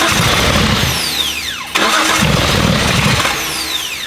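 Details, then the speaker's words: Abandoned Datsun 280Z on carbs awaiting tuning; starter whirs, engine catches briefly with uneven firing, then dies and is cranked again, cutting right back off; won't hold idle. Fires then stalls, cause unconfirmed. "ke it's firing, it's just cutting right back off."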